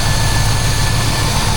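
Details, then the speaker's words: Chevrolet C10 truck with a 350 small-block V8 at idle: deep, even low rumble holding a steady beat with no knocks, ticks or misses; it runs and sounds good. "Yeah, she runs. She sounds good. Turn her off."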